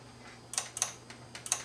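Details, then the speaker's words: Kenwood VR606 AV receiver, dead on the bench: sharp, irregular relay clicks over a faint steady hum when the unit is moved, pointing to a fault on the front microcontroller board; standby light then comes on. "we have a problem on this board here we have a problem on this board you hear the relay clicking we have a problem on this front board here"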